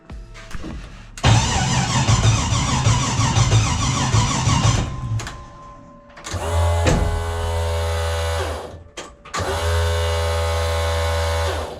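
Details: LS1 V8 conversion in a car, first crank attempt with a sensor unplugged (owner suspects the crank angle or knock sensor): starter churns in rhythmic bursts of about three to four turns per second but never fires.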